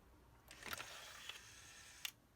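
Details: Denon DN-2000F MkIII CD player, after refitting the CD mechanism and cleaning the lens: quiet, even whirr of about 1.5 s with a soft click at each end; tray loads smoothly.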